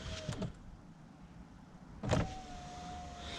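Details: Saab 9-5 power window after first silicone lubricant application to channel: two short motor runs with whine sagging slightly in pitch; glass still dragging, only slightly better.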